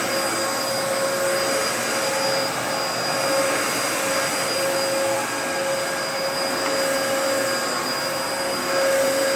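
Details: Dyson DC14 Animal (2004) vacuum, refurbished, first run after fitting a new HEPA filter, test-vacuuming carpet: steady high whirring suction with a clean, even motor tone, no rattles or grinding; vacuum motor runs healthy.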